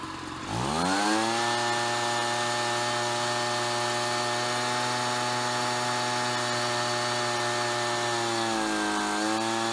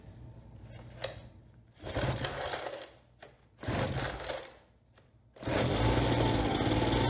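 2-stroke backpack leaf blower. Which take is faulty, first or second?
second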